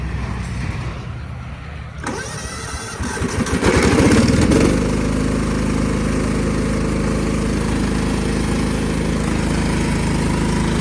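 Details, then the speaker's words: 1999 Cub Cadet HDS 2135 riding mower, cold start in very cold weather, choke troublesome, history of hard cold starts and dying: couple seconds rapid cranking, catches, settles into steady fairly even idle; cause unknown. "It's more my Cub Cadet I'm worried about right now because it's been having issues starting when it's being cold out."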